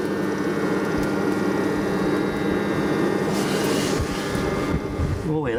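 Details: Previously seized shaded pole fan motor in a heater after cleaning and lubrication: steady even hum with faint airy whoosh, no scraping or labouring; spins freely now.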